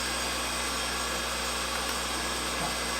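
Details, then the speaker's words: New replacement motor for the power feed of a Reid 2-B surface grinder, after swapping lines two and three to correct table direction: constant smooth electric hum with faint high whine, no growl or clicking; running healthy. "motor's still running that's good"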